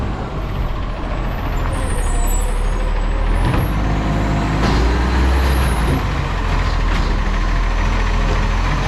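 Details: Garbage truck diesel: loud rumble with a rough, puffing ticking on the idle and an air brake hiss, consistent with an exhaust leak.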